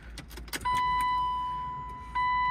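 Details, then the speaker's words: E36 BMW 328i convertible, sat two years. Tank full with roughly 6 gallons new and 10 gallons old, smelly fuel. At key-on a steady high whine steps up and holds as the pump primes normally, but the engine still won't start. "hear the fuel pump working now still don't want to start though"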